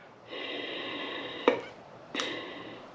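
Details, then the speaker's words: Old EVAP vent solenoid from a 2012 Chevy Express van, intermittent fueling problem: air hisses through, clicks shut and open on 9 V but sticks while opening; worn, replaced. "you see how it got stuck right there when it was opening that's why we go to we just replaced this one cuz he had an intermittent fuel problem fueling problem"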